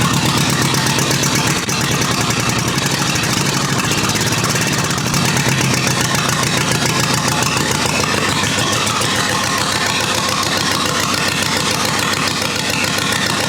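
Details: Rebuilt U23 engine on its very first start in 25 years, non-original carburetor still needing idle adjustment: even, lively idle with regular beat, no knock or misfire; running smoothly, no leaks, fuelling still needs tuning.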